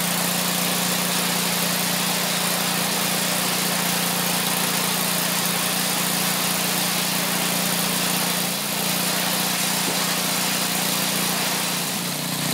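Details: Craftsman 27-inch snowblower's Briggs & Stratton 8hp OHV engine, previously dead with milky water-contaminated oil, test-running on used flush oil: loud steady drone, constant rhythm, no knocks or misses; runs smoothly.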